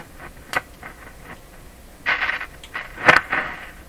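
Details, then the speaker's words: 1941 Canadian Westinghouse Model 684 three-band tube radio, first power-up at 112 V with the tube lit: mostly faint hiss with scattered crackles and pops, no station coming through; weak reception, antenna tap to be tried next. "not picking much up. Okay, we'll do the antenna tap."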